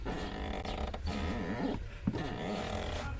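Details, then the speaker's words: A low, wavering creak with each clutch pedal stroke from a dry pedal pivot point; the mechanic fixed the squeak by lubricating it. "Hemen size göstereyim ve diğer kenarına bastığımda şöyle bir gıcırtı sesi var"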